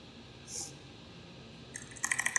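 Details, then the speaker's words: Keyboard stabilizer prototype with improved tolerances (gaps), no rubber overmold: bright crisp key ticks with some ticking but no rattle. "So there's really not rattle there as I would define it. There is certainly some ticking which you can hear."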